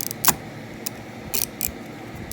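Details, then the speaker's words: Alijos lever-drag conventional fishing reel after realigning the drag plate so the roller pin under the plastic sheet sits flush: crisp, even clicks in short bursts as the drag turns; drag clicker working normally. "Because on the bottom of this plastic sheet here is a little roller pin. That roller pin makes the click, click, click."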